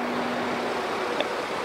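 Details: BMW F10 535d in for loud engine noise: loud steady rushing whoosh of the electric cooling fan running at high speed; owner reports fan goes to high while driving, fault code only for throttle flap.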